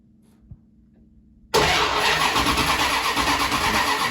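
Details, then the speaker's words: 1974 Jensen Interceptor no-start, timing light on plug lead one, no spark to plugs; fault later traced to the ignition coil: starter spins engine with steady churning about three seconds, never catches; crank no start. "still no spark i've connected up my timing light to lead number one if i turn it over"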